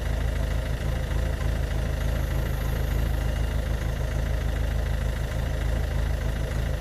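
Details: Ford Focus Mk2 1.6 TDCi 90hp diesel with white smoke: low idle rumble with an uneven, lumpy beat, about three wavering pulses a second. Rough idle, cause not evident.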